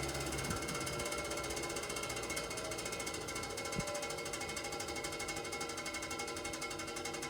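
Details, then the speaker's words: Probably mid-1950s Fasco 12in three-speed box fan: steady hum with fast continuous light ticking; suspected loose blades or dry, unoiled motor, unconfirmed. "like that sound it could just be that the blades are loose it's definitely fan or blade huh blading motor or blade help elated and it sounds very very dry you can hear that sound so we want to get this apart and oil it up"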